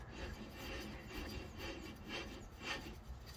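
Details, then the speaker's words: Toyota 1.0L wheel hub bearing with integrated studs and ABS sensor, turned by hand with drum off: dry gritty rasp with rough surges about twice a second, wheel spins too long; worn bearing. "là c'est encore plus flagrant le bruit"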